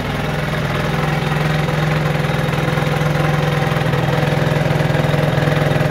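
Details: Peugeot Jetforce scooter two-stroke, warmed up, carburetor idle screw turned fully in: a fast, even idle buzzing steadily and creeping slightly higher. High idle speed, which drops as the screw is backed out.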